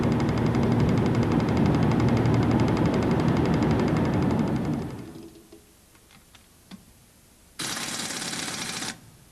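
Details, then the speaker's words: Toyota NVH training demo: a vehicle component vibrating at 15 Hz, touched with a screwdriver, gives a fast, even buzzing rattle that can be heard and felt, then stops. Component vibration at tire-rotation frequency. "for instance this component is vibrating at a frequency of 15 Hertz if you touch it with a screwdriver you can hear and feel it quite easily"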